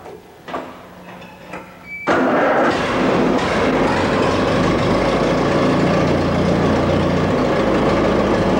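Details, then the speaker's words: Allis-Chalmers tractor engine after a complete rebuild, with distributor timing set: a few cranking clunks, then it catches and settles into a steady, even idle with the tappets quiet; it starts and runs well. "uh it starts up good and it runs good sounds good the taets are quiet and uh all of it sounds pretty good right now"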